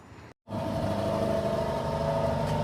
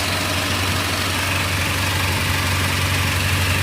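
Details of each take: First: Acura TSX at idle after custom exhaust using stock mufflers: steady petrol rumble with a light metallic buzz from a rattling heat shield; otherwise sounds good and quiet. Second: Acura TSX with a custom exhaust using stock mufflers, warming up: a loud, deep, even idle with no misses or knocks. Engine sounds healthy; owner suspects a leaking VTEC solenoid gasket. Normal idle.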